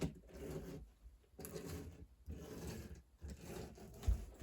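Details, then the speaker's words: HO scale locomotive from a secondhand eBay lot, believed to have sat unused for a while, run on track in both directions; small motor and gears rasp in uneven surges about once a second, rough but wants to run and makes a decent run. "it definitely wants to run as well I think a lot of the stuff's been sitting for a while"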